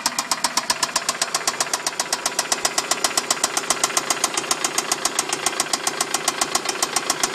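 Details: Toyota Solara knocking on a cold start: sharp, regular ticking knock at about 220 per minute over the idle; cause not yet pinned down.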